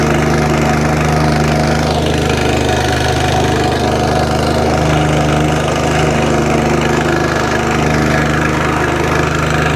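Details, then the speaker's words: Curb-found Wacker plate compactor, first start after sitting, original plug, run on choke: steady low thrum ticking over smoothly, vibration stops below a certain rev; normal idle, may need carburetor work. "there you go ticks over lovely when you get to blow a certain rev that it stops vibrating that sounds really good"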